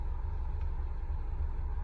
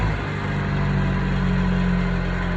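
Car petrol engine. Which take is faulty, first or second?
second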